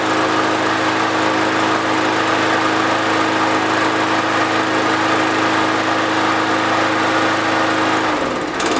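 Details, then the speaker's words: Lawn mower that wouldn't start after sitting all winter with fuel in it, fixed by cleaning the carburetor main jet. Steady, even high-pitched drone with no misses or surging, then winds down: runs smoothly. "that sounds pretty successful to me"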